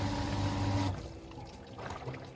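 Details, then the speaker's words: Single-speed pool pump running; steady loud low hum with constant buzz, audible from inside the house, then cuts off abruptly; normal but intrusive. "now it doesn't seem like much but when you can hear that all day or if you can hear this on your deck or in your pool area"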